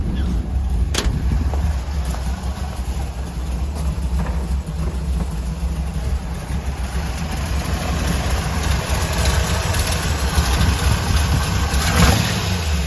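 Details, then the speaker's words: 1955 car, carburettor refitted replacing mechanical fuel injection, first start after sitting six months; idle mixture screws set about three half turns out, idle around 160 on gauge, slow loping uneven rumble, idle slightly low. "So she's at about 160. Idle's a bit low actually. Might have to bump it up a"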